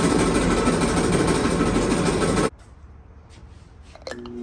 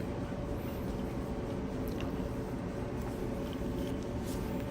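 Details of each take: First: Kenmore Elite dryer model 79691073310, before repair; loud continuous rumbling roar with rough uneven churn – loud rough running noise, cause unclear. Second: Kenmore Elite dryer, model 79691073310, reassembled after repairing rough running noises: soft, even drum hum with no thumping, scraping or squeal; quiet and healthy after the repair.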